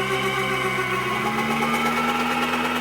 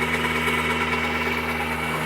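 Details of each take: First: Turbocharged subcompact tractor (Johnny X) driving a Baumalight KR30 PTO generator at its limit, frequency below 50 Hz with dryer on: engine sags and strains, pulsing down and up, nearly stalling; engine lugging under generator overload. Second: Turbocharged subcompact tractor (Johnny X) on a Baumalight KR30 PTO generator at about 13.8 kW, oven, burner and dryer running: even steady drone with a firm whine, no hunting or knock; engine pulling healthy under heavy load.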